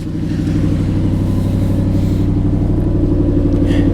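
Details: 2017 Chevy Camaro SS V8 salvage car, sat almost a year with rotten gasoline, jump-started: even, low rumble steadying after start with no tapping or stumbling; normal idle.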